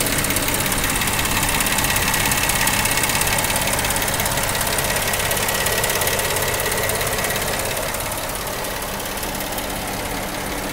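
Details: 2010 Jeep Wrangler at idle: fast, even ticking around three per second riding loudly on the engine; abnormal noise, cause unclear.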